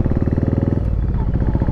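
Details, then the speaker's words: Yamaha Virago 1100 V-twin, rear cylinder cutting out at low revs, spark present, fuel suspected; later traced to failed carburettor float valve flooding: lumpy uneven idle with beats dropping out, rear cylinder cutting in and out, rejoining when revved. "it's again nah and i started doing on on two again it's like one and a half now and it's two now again"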